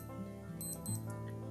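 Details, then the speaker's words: Casio SGW-100 watch alarm sound check in alarm mode, compass button held: short quick bursts of high electronic beeping; normal alarm test tone. "okay next is the alarm sound check and to do that press the mode button several times until you are in the L mode this one okay and then press the compass button and hold and it will gives a beeping sound like"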